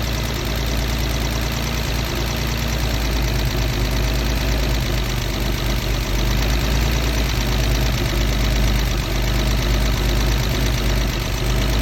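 Engine idles with a deep, uneven, lumpy beat and no steady rhythm; a rough idle, cause not evident from sound alone.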